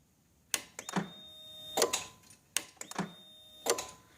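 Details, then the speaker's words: 2007 Honda ST1300 police motorcycle with an auxiliary battery fitted: crisp single clicks about every second as the key is cycled, the relay linking main and auxiliary batteries; switching normally. "I don't know if you can hear it, but anyway, that's the point. That relay is tying the batteries together."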